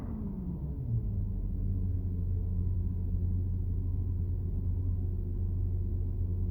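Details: Inside a Porsche Cayenne Turbo while driving: a low steady drone with a faint whine under road rumble, the PDCC active anti-roll hydraulic pump hum. It is normal and the system is fine; the system lacks a pulsation damper.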